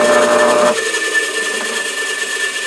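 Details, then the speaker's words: AC electric motor with a nicked rotor and slight stator wear; it ran poorly on a 108-volt extension cord until the red and black wires were swapped, then hums evenly with a light steady whine, no labouring: normal motor run. "I swapped the red and the black wires cross your fingers and your toes you know that sounds better right away"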